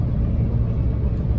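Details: LBZ Duramax towing about 15,000 lb trailer and gravel, off throttle with the exhaust brake newly activated via ECM pins and toggle switch (no tune): deep, steady, throaty rumble with no rise or fall, holding the load back; exhaust brake engaged.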